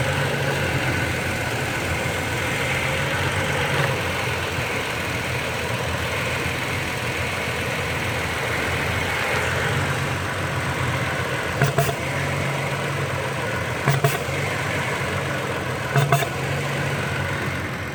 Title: Popping Noise 2016 Toyota Tacoma